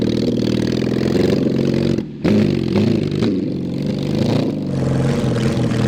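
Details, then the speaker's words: Mid-70s Honda CB750 SOHC 750cc swapped into 1980s Suzuki Quad Sport 230, push-started and ridden: loud uneven note stumbling and cutting out under throttle, occasionally clearing; bogging suspected from carbs only cleaned not soaked, no real exhaust, worn points ignition. "to have to have some carburetor work we only cleaned them we didn't really do anything right like soak them in all that stuff"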